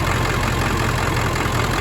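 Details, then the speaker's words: 1999 Ford F-250 2wd 7.3 Powerstroke diesel with ZF6, at idle: loud diesel clatter with uneven, lumpy beat, running odd because all injectors are bad; only starts when plugged in. "You might even hear that it's running kind of odd because all the injectors are bad."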